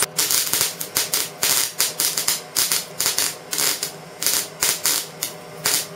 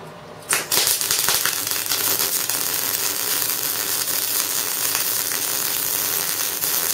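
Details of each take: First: Erratic MIG welding: arc stops and restarts in uneven crackling bursts about three a second instead of a steady sizzle; wire snagging in a jammed Euro torch liner, on 15 kg wire rolls. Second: Euro-fitting MIG welder test weld right after replacing the torch liner with a generic liner. A steady crackling sizzle is held for about twelve seconds, then cuts off cleanly: an even, healthy MIG weld.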